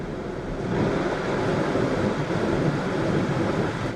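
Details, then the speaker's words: Tesla Model 3 Standard Range just swapped from NMC to LFP battery, showing reduced power and low-flow, coolant valve calibration alerts: steady loud rushing air roar of cooling fans running flat out; owner suspects air pocket trapped in cooling system. "and I can hear the fans running, so that kind of makes sense."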